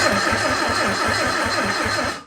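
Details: Sunbeam Alpine 1725 engine, spark confirmed on all four cylinders, before fuel priming: even starter cranking at about three to four compression beats a second, no firing, cuts off cleanly; cranks normally.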